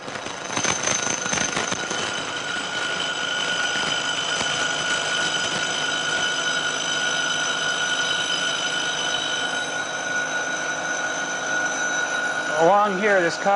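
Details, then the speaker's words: Milling a thin, long workpiece clamped in a vise and cantilevered out of the jaws: steady high ringing chatter grows louder toward the unsupported end; vibration worsens with part length and gives a poor surface finish. "proceeding pretty well but as we get out towards the end of the part this cantilevered out of the jaws you can hear more and more vibration you can imagine that that gets worse and worse as the part gets longer and longer"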